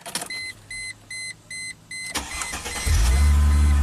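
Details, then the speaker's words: 2005 Chrysler Crossfire that stalled after about 10 minutes, now with a replacement crankshaft position sensor and battery cable reconnected: evenly spaced chime beeps, a short crank, then it fires at once into a steady, even idle. Normal start. "Woohoo! Sweet. So I'm going to let it run a little bit, let it charge up."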